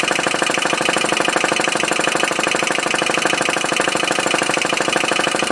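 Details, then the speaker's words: Homemade MET alcohol-flame atmospheric model engine, first run after 8–9 years on the shelf: steady fast clicking in time with the engine. The valve slide's return spring is too weak to open it fast enough, possibly limiting RPM. "I can hear that my slide though, that's what that clicking noise is. Spring's not strong enough to hold it back to open that up fast enough."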